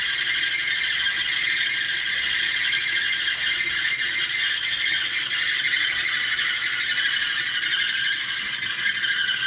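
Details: Duet Sport dryer: loud steady high-pitched squeal with a light rattle as the drum turns, from worn drum support rollers. Remedy is replacing the four support rollers, the idler pulley and the belt.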